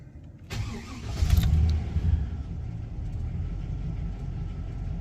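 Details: Chevy Express/GMC Savana van, security light reset: short crank catches quickly into a low even V8 rumble settling to a steady idle; starts and runs normally.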